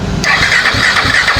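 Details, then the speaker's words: KTM RC 390 motorcycle that won't start, check light missing and temperature reading full high: starter cranks at a steady, even churn, about four turns a second, but never catches; shorted or dead ECM is the cause. "Shelf தான் அடிக்க வண்டி start ஆகாது."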